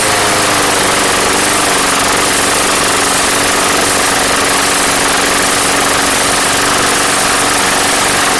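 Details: Craftsman Platinum mower, Briggs 190cc, after fixing no-start with replacement carb; even steady buzzing run at constant speed, no surging or hunting, healthy, though gas had been pouring from the crankcase vent.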